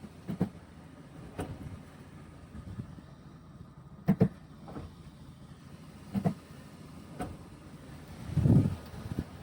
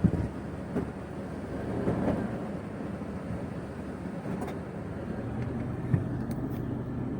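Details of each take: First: Toyota Prado 120 automatic: single sharp clunks as the gearbox is shifted between D and R; worn inner CV joint, clunks gone after replacing it. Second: Toyota Prado 120 after replacing inner CV joint to cure knock when shifting automatic from D to R: steady low rumble, gears engage quietly with no clunk; smooth gear engagement, knocks gone after repair.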